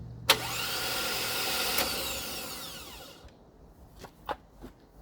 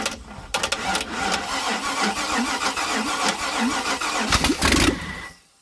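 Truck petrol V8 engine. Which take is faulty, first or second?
first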